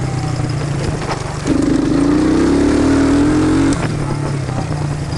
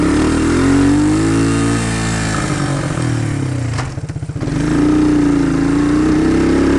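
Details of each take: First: 1999 Suzuki Quad Runner that bogged under load from a misadjusted carb float: first start after the float adjustment, not yet warm. Revs climb smoothly from a lumpy idle and drop back with no stumble. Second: 1999 Suzuki Quad Runner ATV: engine pulls steady, then the revs sag into a low choppy stumble under load and uphill before recovering; first suspected of flooding, the bogging turned out to be a misadjusted carburettor float.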